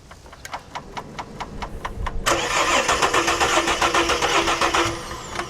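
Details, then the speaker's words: BA Falcon XR6 that wouldn't crank, on a jump pack: starter turns steadily then spins faster but the engine never catches; smart lock light on, immobilized, ICC unit suspected. "Starter's good. Well, the starter motor's good, but we have a smart lock light, which means it's immobilized. It's not going to start."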